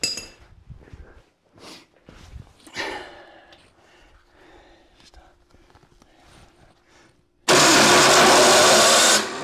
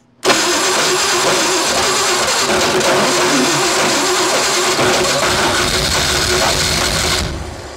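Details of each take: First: Classic Ford Bronco/truck engine, oil put in cylinders, choked, high compression: loud harsh grinding whirr for about two seconds without turning over. Starter grinding on a damaged flywheel ring gear bad spot. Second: Classic Ford 4x4 project bought sight unseen, first start with coils briefly run on 12 volts; the starter sounded slightly grindy while cranking: catches almost at once and holds a steady, busy idle for about seven seconds; engine starts and runs.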